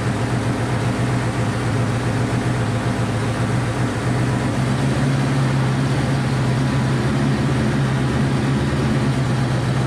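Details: Honda CB500 four-cylinder after carb rebuild and float reset, on auxiliary tank; loud, lumpy, unsteady idle firing on all four.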